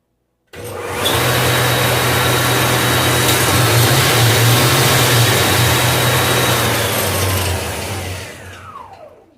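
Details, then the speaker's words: Iveco alternator on the bench after its faulty freewheel pulley was replaced, with the belt refitted: spins up to a smooth, steady whirr with a clean tone, then winds down evenly; normal alternator operation. "A correia já está no lugar. O alternador está tudo certo. Vamos ver como é que tá. Que maravilha, ó."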